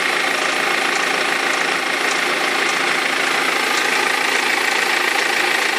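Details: 2003 BMW E46 320d diesel at idle with a light, steady rattle and tick about three times a second over the clatter; the crankshaft pulley vibration damper had perished, and both belts eventually fell off.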